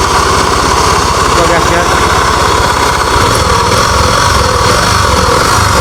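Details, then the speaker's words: Honda Beat FI scooter idling with the CVT drive not turning: coarse, gravelly rumble already present, so the gearbox and ratio gears are ruled out; a worn crankshaft bearing is the cause. "jadi tanpa e rasio muter ini suara sudah muncul kita cek dan analisa Apakah suara berpusat dari mesin ataukah dari bagian area CPT"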